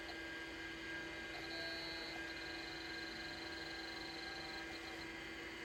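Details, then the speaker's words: Macintosh Plus hard drive running after its stuck heads and platter were freed: a quiet, steady whirr with a constant mid-pitched tone, no clicking or scraping; passed self test, owner thinks these drives need regular exercise. "yay it's online it passed the self test you know it kind of helps if it can spin so I think what it is is these drives just need exercised a bit"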